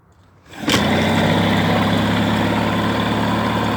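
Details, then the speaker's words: 1988 Mercury 9.9 hp two-stroke outboard after repair: catches and settles into a smooth, even run with no misfire; the earlier misfire across the rpm range was traced to a kill wire intermittently grounding out, after both coils were also replaced. "more mess runs like a champ"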